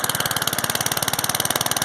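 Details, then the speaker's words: 3,500 generator engine running on charcoal gas from homemade Simple Fire-design gasifier, carburetor intake replaced and air-fuel adjuster fitted, first run, started after about 3 pulls: quick even firing pulses about fourteen a second with crisp rattle; runs steadily. "After a few minutes here, I'm gonna stick it into the generator and try and start it. So pretty amazing. After about 3 pulls, it started."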